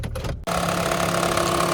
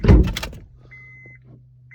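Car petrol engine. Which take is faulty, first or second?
first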